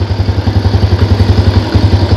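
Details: Yamaha Jupiter Z single-cylinder idling evenly at about eight thumps a second, no knock or clatter, after repairing the one-way starter clutch on the magneto rotor; the earlier "dak dak dak" noise is gone.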